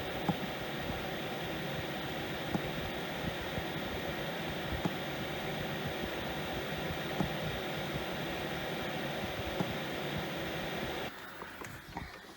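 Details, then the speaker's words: 5 kW Chinese diesel heater that is hard to start, on a weak battery; steady fan hiss with a pump tick about every 2.5 s, then the blower drops away with a low-battery error; startup failure and shutdown, insufficient battery power suspected. "So the battery light's flickering. Geez, it must take a lot of power to start these things up. So that's turned itself off because not enough battery."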